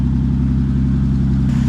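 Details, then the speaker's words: 1950 Dodge Meadowbrook engine with 70 years of non-detergent-oil sludge, warmed about 5 minutes before an oil drain: steady even idle, no knocks or misses, hitting on all cylinders; oil pressure 40, charging, temperature steady about 160. Normal idle. "it sounds like it's actually running pretty good. I think it's hitting on all the cylinders."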